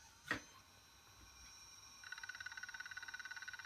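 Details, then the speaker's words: Conner SCSI hard drive in an Apple Macintosh PowerBook 100 at power-on: soft thump, then rapid even ticking about fourteen a second as the drive fails to free its head stuck to the rubber bumpers, then shuts off. "the disk head sticks to rubber bumpers so when you turn on the machine the drive keeps sticking but it cannot unlock the head so he will then shut off automatically"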